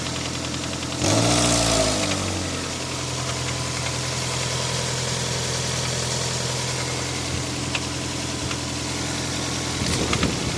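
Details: Toyota 7A-FE engine at steady idle with a light regular tapping of roughly four per second riding over it; an engine knock of unknown origin.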